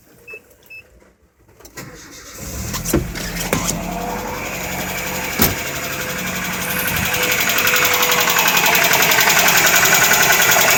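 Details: Nissan 90 pickup engine cranks and catches, then a quick, steady knock rides over the running engine as revs build. Engine knocking, cause not identified.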